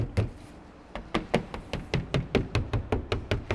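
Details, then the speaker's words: Porsche 992 in for sound deadening: knuckle knocks on the door card, each followed by a loose buzzy trim rattle; entire door shakes, many rattles up top and down below. Loose door panel rattle. "find right there yeah that's bad oh and up here there's a lot of rattles as"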